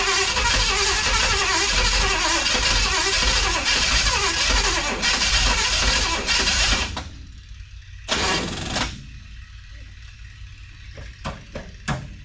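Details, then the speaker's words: 1963 Chevrolet Impala, restart after squirting gas in the carb and putting a charger on the battery; cranking near three strokes a second for about seven seconds with weak firing that never catches, firing less with each try; weak battery blamed, not confirmed. "You know, or not. Funny enough, it rained yesterday and it started up a lot easier than that. Alright, after trying to run it 2 or 3 times, it seemed like it was firing less and less."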